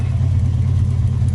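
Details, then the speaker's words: 1993 Toyota Kijang Grand Extra SSX with non-standard exhaust and slightly worn engine mounts: soft, even low exhaust rumble at idle with steady pulses, no popping or stumble, a little water dripping out; normal idle note. "Meskipun enggak standar tapi suaranya lembut kayak gini teman-teman tuh"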